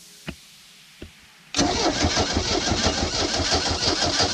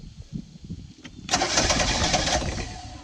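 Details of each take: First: Old sterndrive boat engine, long sitting, water hooked up: two clicks then steady cranking about three beats a second for five seconds, never fires; may need fuel priming, owner suspects rusted cap, rotor, points, condenser. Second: Old boat sterndrive engine, warmed up, air filter off carburetor, starting fluid sprayed in: brief cranking, then catches with sharp even firing that settles and fades cleanly; healthy start.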